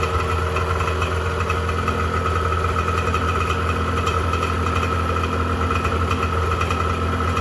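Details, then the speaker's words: 1986 Honda NS400R 400cc two-stroke triple, first start after 11 months, held on choke for a minute to run the last fuel out of the carbs before storage; steady, buzzy, slightly rough idle as the carburettors run dry. "run on choke for a minute get the last of the fuel out of those carbs"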